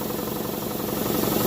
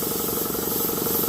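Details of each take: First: Campbell Hausfeld air compressor revived after water-damage lock-up, cleaned, relief valve leaking: even, fast pumping beat near four strokes a second, rising slightly as it loads; compressor pumping and building pressure normally. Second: Campbell Hausfeld air compressor revived after water damage locked it up, cleaned, woodruff key replaced: motor pumping with a fast steady pulse under a constant sharp hiss; air leaking at a faulty pressure relief (blowoff) valve.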